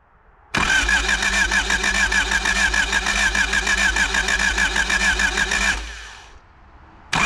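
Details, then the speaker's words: 1985 Honda Civic parked 16 years, cranking after adding Rotella T4 10W30 oil: even starter cranking at about three turns a second for about five seconds, never firing; no start. "Alright, that's enough to keep cranking on it. It's pretty full now. Crank it a few more times."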